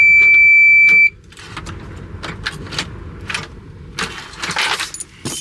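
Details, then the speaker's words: CAT 336 excavator at about minus 15 with wind, disconnect on: steady high warning tone then only key and switch clicks, no cranking; starter motor needs replacing. "Well, I guess it's going to be something else. Maybe the starter itself, I don't know."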